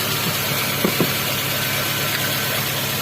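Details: Toyota Avanza/Xenia/Rush/Terios-family power steering pump after repair (pump was groaning/droning on turns; hardened O-rings, dirty fluid, clogged filter found): steady, even engine idle with a couple of light clicks, no groan or drone from the pump; normal operation.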